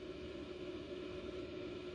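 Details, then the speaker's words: CyberPower CPS1500AVR UPS, new, with no load and battery charged: after self-test a loud thump, then the fan runs constantly at full speed, a steady whoosh and low hum blowing cool air. "turn it on self-test complete loud thump and then the fan just goes crazy and it'll stay that way and definitely the air coming out of the fan is cold"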